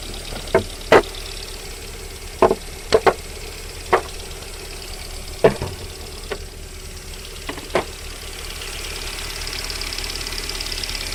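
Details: VAZ 21127 engine warming up at idle: loud, sharp, irregular knocks about every one to two seconds, present until about 40 °C and then gone. Cause not yet clear; engine knock when cold.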